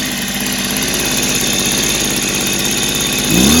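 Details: Echo PB265 ESLT backpack blower two-stroke after new crank bearings fitted, first start in a long time: steady fast idle with even, clean beat, brief rev at end; much quieter than before, carb better but may need clearing.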